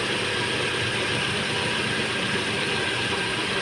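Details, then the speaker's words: Datsun Redigo 800cc, just after engine overhaul (head gasket) for overheating that spat coolant at 94°C, engine torqued with special tools; quiet, even idle with a light, steady valvetrain tick and no knocking or misfire, healthy. "हाँ, यही तो मज़ा है torque पे engine को tight करने का। Special टूलों से इंजन जब टाइट होता है ना, हाय हाय हाय, डीलर वाली साउंड आ रही है, मज़ा आगा।"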